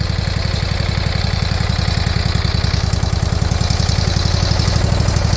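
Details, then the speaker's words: Briggs & Stratton Intek V-twin swapped in for blown Kohler Courage, running without air filter: fast, even low intake thumping at steady idle, slight surging; normal open-intake sound. "And that noise you're hearing is the the thunk bunk thunk. It's just air coming through the intake. Without an air filter, that's normal."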